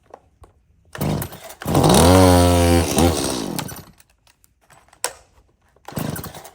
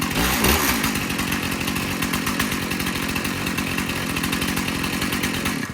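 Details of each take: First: Dirty, unmaintained Stihl MS170 chainsaw with clean fuel and a full bar oil tank: starts, then surges and cuts out in uneven bursts before settling to a ragged high rev; runs rough, cause not yet found. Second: Stihl MS291 chainsaw, sold new in 2019, test-run outdoors before service: crisp, even two-stroke buzz with steady firing and no stumbles or surging, then shuts off cleanly; runs normally. The loose bar nut vibrated off.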